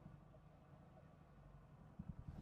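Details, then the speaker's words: 1970s Triumph 1500 FWD, daily driven, heard idling from inside the cab: low soft hum, only faint rumble, really quiet; healthy idle. "So as you might be able to hear there, she's really quiet."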